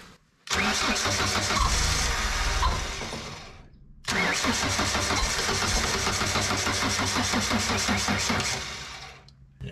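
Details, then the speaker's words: JLG 80HX boom lift, Ford LRG-425 engine, cold start on half choke after sitting days, battery drained by ignition left on overnight: two sluggish, labouring cranking bursts that fade without catching; slow cranking from weak battery, nearly started. "battery's too weak but uh almost had it right away there"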